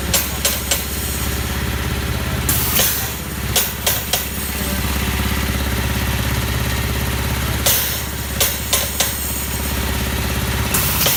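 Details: Old Haskel gas booster after a shuttle valve rebuild, under load: loud bangs, each followed by a quick run of lighter taps, repeating unevenly over compressor hum, the shuttle bouncing on one side and chattering.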